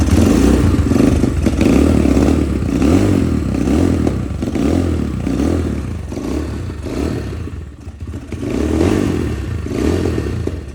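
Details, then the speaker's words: 2021 Apollo DB-36 250 dirt bike with 223cc Honda CRF230 clone engine, just started with throttle; uneven loping single-cylinder beat surging and sagging, won't idle, owner blames carburetor. "Oh, there it goes. Oh. Yeah, she's not gonna want to run right now."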